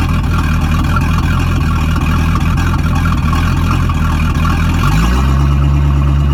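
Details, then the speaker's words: Boat engine at startup, its first start in three weeks: a deep, steady V8 burble that picks up smoothly near the end, with no misses or knocks; healthy. "um all right guys you just saw the uh video of it running so that's always a positive it's the first time it's been started in three weeks"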